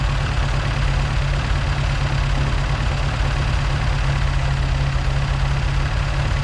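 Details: Mk2 Ford Escort with Pinto engine, 5-speed Type 9 gearbox, carburettors only roughly set to run and idle: uneven lumpy loping idle that hunts and stumbles, backfiring on the throttle; rough idle from untuned carburettors.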